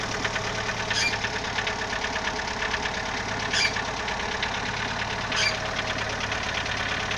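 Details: Idling CHT engine with a fast, light ticking knock and a few louder knocks, source unknown; valves already adjusted, timing belt replaced and bottom-end clearance checked, owner still unsure of the cause.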